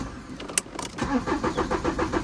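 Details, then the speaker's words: Audi A4 convertible, 128,000 miles, intermittent running issue: starter turns the engine over in a rapid even rhythm for a second or so with no firing; cranks but won't start, cause unknown. "drove it round the block everything was fine came back went back to start it wouldn't start just cranking"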